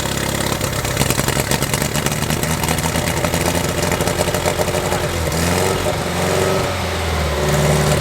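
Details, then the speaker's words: 1969 Lotus Europa barn find, first start after 15 years stored; water shot from exhaust, suspected water in header. Settles into quick, even idle, blips and returns smoothly, no misfire or knock. "pretty nicely she's running pretty good there too I think there was just water in the header that thing sounds good huh"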